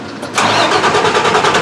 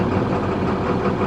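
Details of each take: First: Beverage truck with DT466 diesel that starts hard after sitting overnight: the starter churns unevenly for about two seconds before it catches and settles to a steady run. Mechanic suspects fuel starvation; unconfirmed. Extended crank. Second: DT466 diesel beverage truck on a cold morning, first start after the fuel leak was found, with about 500 showing while cranking: it starts much better, then gives a steady, even diesel idle with no stumbles, misses or surging. Valve replacement still pending.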